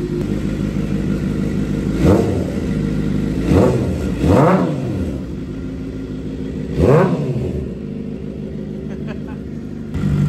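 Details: 2007 Suzuki GSX-R 750 wrecked-bike rebuild, idling up to temperature with throttle blips: light mechanical rattle at idle, owner suspects a bad cam chain tensioner, not confirmed; oil residue burning off, radiator leaking.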